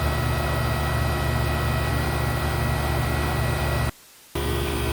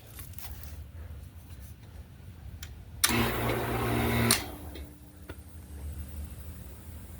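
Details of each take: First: Previously seized GE A/C condenser fan motor with a missing bushing, oiled as a temporary fix: steady, even fan whir with a low motor hum, constant apart from one brief cut; fan running smoothly. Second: GE air conditioner condenser fan motor, formerly seized, after oiling; bushing missing, broken plastic piece inside: motor hums up just over a second then drops out, intermittent cut-out; owner suspects the broken plastic piece.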